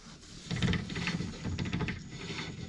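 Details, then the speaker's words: Subaru with a wheel turned slowly by hand, other front wheel turning too; uneven gritty rubbing and ratcheting like gear teeth dragging, binding then freeing, owner suspects worn differential teeth causing the clunk. "on entend clairement dans comme si les dents se frotté vous avez entendu"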